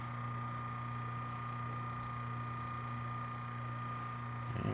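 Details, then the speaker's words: Antique Jeannin repulsion-start induction-run motor: brush arcing during start, then a steady low hum with no brush crackle, running nice and quiet once in induction mode. "Once it reaches induction mode, you can see it's nice and quiet."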